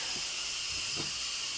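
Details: Instant Pot venting its remaining pressure after cooking teriyaki sauce: a constant, high, airy hiss with no sputter or rattle, an even and normal steam release before the lid is opened.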